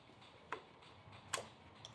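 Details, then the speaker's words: 1986/1987 Honda Gold Wing GL1200 SE-I, fuel-injected, sat for years, just got battery hooked up: faint crisp clicks a fraction of a second apart from the flashers/turn signal relay ticking normally. "What's this flashing sound? What's that, hazards or something? How you turn that off? No. That's flashers."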